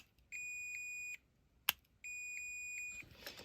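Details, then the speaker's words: Disassembled 131-degree one-time heat detector: the solder melts and the spring pops onto the contact plate. Two long steady high-pitched buzzes with a sharp click between; the closed contact makes it alarm. "It's a one-time thing. When it gets hot enough, that will touch. You can hear it's beeping now because that is touching that."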